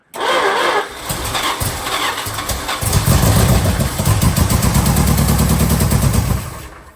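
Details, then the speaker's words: 1974 Dodge W100 pickup after 383 big-block V8 swap, first start attempt: starter turns the engine steadily at about four turns a second, never firing; fuel tank found empty so no fuel pumped — cranks, no start. "Well, we gave it the slosh test and there's not a slosh in there, so tank's empty. That explains why it's not pumping fuel."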